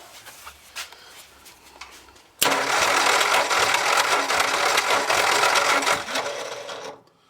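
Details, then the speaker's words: Giveaway truck's low-compression engine cranking during a compression test (cylinder reading about 100): steady fast chugging with harsh whirring; the starter is starting to sound pretty bad and may need replacing. "And the starter's starting to sound pretty bad, so I might have to pick one of them up."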